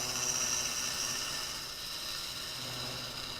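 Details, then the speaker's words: Lathe turning a hollow workpiece with the Carter Products Hollow Roller System, before a steady rest is fitted: high whirring chatter pulsing about four times a second as the piece vibrates; workpiece vibration. "you hear that vibration so if you're ever worried about a piece vibrating or even breaking I've got some other samples to show you too"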